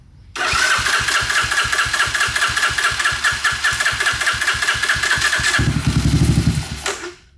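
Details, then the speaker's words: 1986 Honda ATC250ES Big Red with a 250cc four-stroke engine, which sat 5 years, run on a remote tank with a cleaned carburetor that has a broken jet stuck inside and mice debris in the exhaust: it cranks, catches roughly and dies; rough running. "So I'm wondering if that's why we're having a little bit of running issues. But it's running, and it's sounding pretty good."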